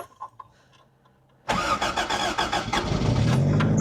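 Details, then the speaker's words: Toyota MR2 (AW11) 4AGE four-cylinder unstarted for months, negative cable previously off: quick crank catches and settles into a steady even idle; starts cleanly. "I'll be damned. It's running. Maybe not for long. No, it's running. Good old Toyota. 4AGE, baby."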